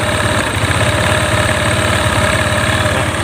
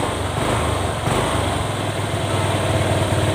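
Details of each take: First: Honda Click 125 scooter, hard starting and poor acceleration, no fault codes, after replacing a bent valve: idle chugs unevenly with occasional hesitations; idle stumble, suspected faulty ECU box, wiring checked fine. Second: Honda Click 125 scooter after repair of hard starting (wiring and connectors checked): revs up cleanly several times and drops back to steady idle without stumbling or stalling; idle slightly higher than original, ECU possibly slightly faulty.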